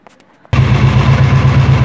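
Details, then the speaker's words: Royal Enfield BS4 single-cylinder: with the charcoal canister cable removed and a finger over the port, the engine settles into a deep, even thumping idle with no tappet ticking, which returns when reconnected. "देखिए friends अभी engine start है ब टपट नॉज बिल्कुल नहीं है जो कि पहले बहुत ज्यादा आती थी"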